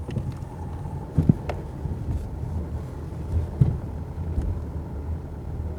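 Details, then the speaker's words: Range Rover Evoque driving over small bumps below 40 km/h, recorded inside cabin: dull irregular thumps from the front suspension, clearest at right wheels; knocking lower control arm rear bushings. "Так, вот сейчас мы едем по мелким кочкам, вот, и пытаемся писать вам звук. Вот сейчас особенно по правым колесам отчетливо будет слышно."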